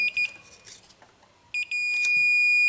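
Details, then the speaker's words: Used free snowblower, multimeter continuity test across the ignition key switch: quiet, then short meter chirps and a steady beep only with the key at the halfway position; no continuity elsewhere, so the key switch is bad. "so right now there's no continuity foreign no continuity but if you noticed if that key is in the halfway position"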